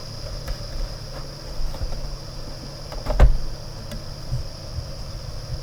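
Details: Xbox One S after reassembly following attempted fixes for a ticking fan: soft steady fan hiss with faint ticks about every half second; ticking not silenced, perhaps slightly quieter.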